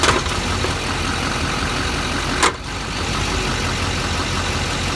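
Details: LBZ Duramax diesel 4WD with a newly built Allison 1000 transmission (2 months old, under 1000 miles, billet torque converter): a single heavy clunk at idle when shifting between park and reverse, both directions.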